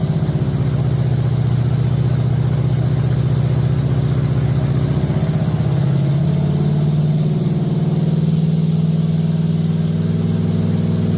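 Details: Date-coded 1969 383 HP Super Commando V8, swapped from a Barracuda into a 1969 Plymouth Road Runner, running with good oil pressure and no tach: steady, deep fast idle with an even beat and no clatter or ticking. Healthy.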